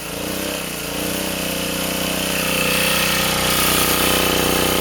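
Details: Sportsman 2000 W generator under 750–1500 W heater load after adding a spring so the governor doesn't overreact: steady, even drone at one pitch, no hunting or surging; governor holding speed properly.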